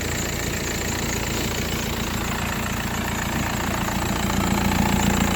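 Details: 2004 VW Passat 2.0 TDI wagon with a stuck-open EGR valve: loud, lumpy diesel idle knocking about three to four times a second, with heavy smoke at idle, all power lost and no acceleration.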